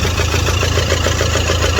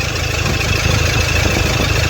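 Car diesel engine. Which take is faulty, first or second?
first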